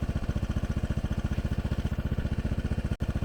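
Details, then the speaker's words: 1986 Honda Helix scooter after a new ignition coil and a new drive belt, just ridden to 90 km/h: quick, even single-cylinder putter at about four beats a second, clean with no misses or knocks; normal running. "It's running pretty nice. I just ran it down the road, got up to 90 kilometers an hour, and things are good."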